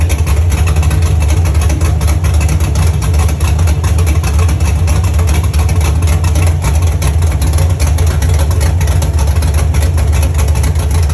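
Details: First start of a Chevy truck's cammed 5.3 V8 (Texas Speed 232/234 cam, 110 LSA) after a build and after fixing wiring ground issues: deep, steady, even loping idle rumble with no knocks or ticks; sounds healthy.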